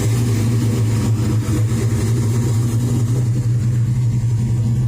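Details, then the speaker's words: Chevy S10 with an LS 383 stroker (cam about .620 intake/.598 exhaust lift), warming to about 750 rpm warm idle: deep, steady V8 burble with a slight lumpy cam rhythm, no knocks or squeals; warming up normally and charging fine. "it it sounds killer once it warms up and it gets down to warm idle about i put it about 750."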